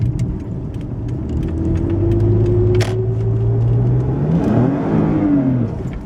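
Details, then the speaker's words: 2011 Toyota RAV4 on a test drive after a transmission rebuild, floored: engine revs climb while the car barely moves, then drive suddenly grabs hard and it downshifts erratically; transmission slipping, cause not confirmed. "When I got off the interstate, it would rev and then catch and chirp the tires, so let's see what this does."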